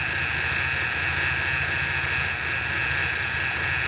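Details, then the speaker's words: BMW E46 with N42 engine idling, separator also faulty: harsh gritty high whirring over low engine rumble from a worn alternator bearing. "ini bearing di alternatornya ini ini kedengarannya kasar kali ini"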